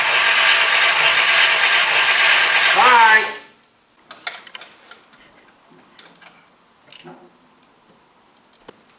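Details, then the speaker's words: V8 Godfather car after carburetor repair, hot day, choke open, cranked without touching the gas, then revved: loud, even roar with no misses or knocks before cutoff; carburetor now working properly. "see now your carburetor works exactly the way it's supposed to choke open on a hot day you know everything perfect and that's how you do it that's the way car supposed to run"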